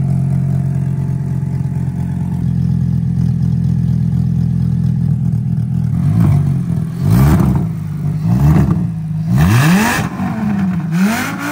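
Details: VW Corrado running after an injector was replaced to cure a misfire: steady even idle then several clean throttle blips rising and falling smoothly with no stumble; engine runs fine.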